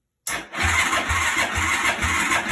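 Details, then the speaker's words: 2004 Yamaha YFZ450 quad, with a possibly weak battery on the charger: the starter churns at about four pulses a second without catching. "but for now we have at least turning over which we can show you here the tail light comes on and start so it sounds like it wants to kick over it sparks we check the spark it's not really good but it does spark"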